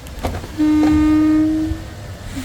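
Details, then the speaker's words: Next Gen Ford Ranger due for its 15,000 km service: a sudden, low, even moan of about a second that then fades. It is a recently developed, annoying niggle, and its cause is unknown. "you guys hear that sounds like a blue whale in making season"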